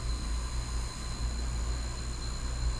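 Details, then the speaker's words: Marui Samurai 1/10 4WD buggy can motor after a little oil at both ends: a steady high whine with a soft even rumble, no stutter. It jolted and ran unevenly at first; it now runs real steady and healthy. "That sounds really healthy. It's real steady now."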